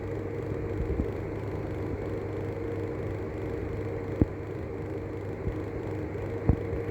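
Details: Arlec 200mm exhaust fan with bad bearings; constant rough, droning whir with a low rumble and occasional sharp ticks from worn, dry fan motor bearings.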